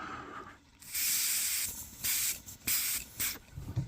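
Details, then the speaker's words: Kawasaki KFX400 quad carburetor after rebuild and cleaning, old needle seat reused: blown air hisses then cuts off sharply in repeated bursts as the float is pushed up, needle and seat sealing properly. Float needle valve sealing normally. "You can hear that it's it's uh when I push up on the float, it closes"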